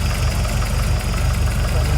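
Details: 1979 Mk2 Escort RS2000 engine after rebuild, refitted with a trimmed, glued-in-place gasket: steady, even low idle with a smooth, regular beat and no knocks or ticks; sounds healthy.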